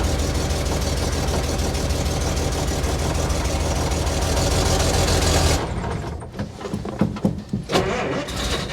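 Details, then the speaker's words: Old Willys truck, cold start with choke held by hand: runs rough for about five seconds then cuts out; stalls because choke is released too early before warm-up; choke cable needs replacing. "why do you keep running away it's an old truck it's got to warm up a little bit you keep letting off the choke so quick"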